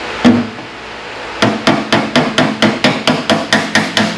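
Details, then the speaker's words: Body repair on a car door, hammer and dolly: quick, light taps give a bright metallic ping, meaning the hammer is landing on the dolly. Off the dolly, the sound is hollow instead. "hear that sound that means i'm on dolly it's more of a pinging sound and when i'm off the dolly you'll notice it's a very hollow sound"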